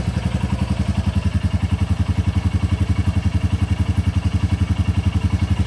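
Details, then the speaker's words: 2024 Royal Enfield Bullet 350 single, just after valve clearance adjustment (between 0.15 and 0.20 mm): even, steady thumping just under four beats a second with only faint light valve clatter; healthy idle. "Oh, sounds good. Sounds really good."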